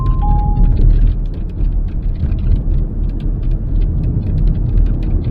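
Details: Driving over road bumps, quick scattered high squeaks and creaks from a large panoramic glass sunroof over heavy road rumble; the sunroof seals squeak, fixed by lubricating the seals with a rubber care product, not petroleum products.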